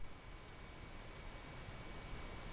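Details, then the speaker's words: Tube tester noise test on a 12AX7 preamp tube, section two: a steady, heavy hiss with a low rumble and no ringing or tapping; not microphonic, but excessively hissy. "the 12 ax7 I can even hear the the hiss coming out of there it's not microphonic but it's sure hissy"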